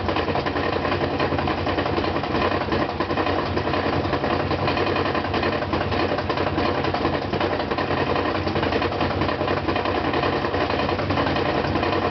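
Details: Brand-new GE washer loaded with 2 blankets, during spin: heavy, uneven thumping through a loud spin roar, roughly ninety knocks a minute, from a loose counterweight banging; wash and rinse fine, no noise when empty.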